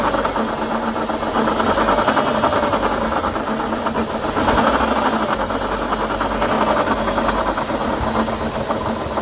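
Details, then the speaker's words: 2012 Chevrolet Sonic with serpentine belt checked by stethoscope: fast light knocking over idle, rising when revved; knock traced to the water pump, pump to be replaced. "Bueno ahí como se ve parece Aparentemente la bomba de agua ahí es el golpeteo que se escucha bueno se va a tener que reemplazar la bomba"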